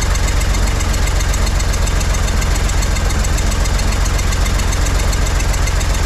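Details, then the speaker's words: 1963 Corvair engine after carbs resynced from scratch and chokes hooked up: loud, rough, uneven low idle with a steady knocking beat, a few per second, and puffs; owner suspects loose rockers, a little throttle helps. "maybe a little throttle ah still not uh still not happy with that what's going on here why am I getting poofs of [Applause] stuff"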